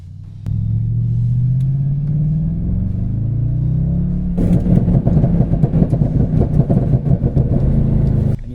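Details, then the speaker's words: Jaguar F-Type V8 with a bad aggressive tune, driven on private road in second gear above 4,000 rpm, filmed on phone inside the closed car: muffled pull then sharp irregular machine-gun pops and bangs on overrun; tune later blamed for melted pistons. "So it's hard to capture the audio because I was filming on a mobile phone at the time and traveling down the road with the window shut in a well-insulated car. But outside the car, those pops and bangs were going off like a machine gun."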